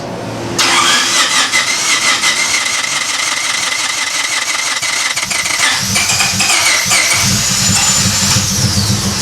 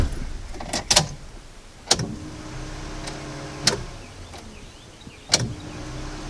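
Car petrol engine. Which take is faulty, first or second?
first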